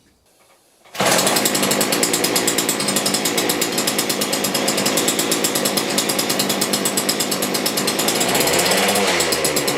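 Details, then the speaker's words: McCulloch two-stroke grass strimmer rescued from the tip 5 years ago, running on year-old stale petrol with compressor oil mixed in: catches and runs on with fast buzzy crackle at steady speed, sounding healthy. "Yes! Right, okay. Well, that was quite successful, I'd say."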